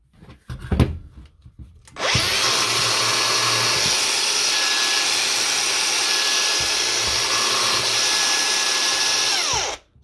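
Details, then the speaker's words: Old brushed Milwaukee impact wrench, after a repair for low power and burning smell (worn brushes, freed motor): clean steady high whine, no grind or chatter, then spins down freely. Runs healthy. "pretty smooth so that's all it was"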